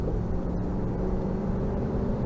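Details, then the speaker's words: 1993 Cadillac Seville 4.9 V8, repaired and driven at under half throttle: smooth, even V8 rumble pulling steadily with no knocks, misses or whine. Healthy engine under acceleration; front struts heard popping like blown struts. "not even halfway on that throttle this thing moves nice and easy it sounds great all the power you could need"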